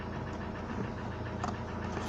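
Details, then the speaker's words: Renault Vel Satis 2.2 dCi diesel at cold start, +18 °C outside, oil level normal; fast light ticking over the idle clatter from knocking hydraulic lifters, to be cleaned later. "Хочу вам показать сегодня на моей реношке, на Renault Velsatis, показать именно в холодную, как именно стучат гидрокомпенсаторы."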